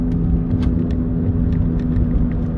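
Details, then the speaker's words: 2010 Chrysler PT Cruiser coasting in neutral with the engine off: a low steady whirring hum over road rumble that changes with speed; a bearing noise is suspected, not confirmed. "yes the noise is still there guys so it's a rolling noise depending on speed"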